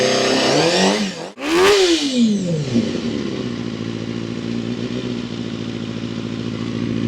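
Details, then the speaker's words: Honda CBR250RR MC22 under restoration, newly refitted carbs, firing after sitting; a sharp rev blip, then a slightly lumpy, uneven idle that steadies. Owner says it sounds a bit off. "Curious what's that? Sounds just a bit off."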